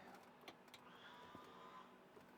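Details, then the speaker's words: Electric parking brake on a 2007-2013 BMW X5 E70 after replacement of the parking brake assembly, car on a lift, foot on brake: quiet smooth motor whir rising for about a second with a soft click at the end as it releases normally. "and we hear it release ha that's a pretty fun sound"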